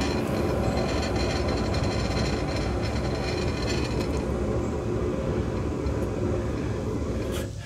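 A rough, gravelly rumble as the wheel spins, fading out as it stops: a worn wheel bearing.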